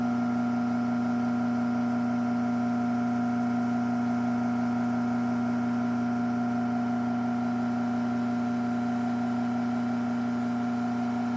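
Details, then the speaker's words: AccessMaster M100 garage door opener from June 2000 running: steady motor hum with a faint rhythmic pulsing, three to four a second. The top bushing is worn enough that greasing didn't help. "it does have a little top bushing noise. I did grease it. It's probably worn enough to where the grease isn't helping much"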